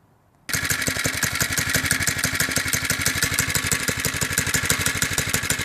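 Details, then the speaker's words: Doodle Bug DB30 single-cylinder minibike idling just after a few drops of 30W oil were put on the clutch, which had been grabbing, squealing and stalling. Now an even chug of about three beats a second with no grabbing or rattle. Running normally. "then start it up let it idle and seems to work pretty well"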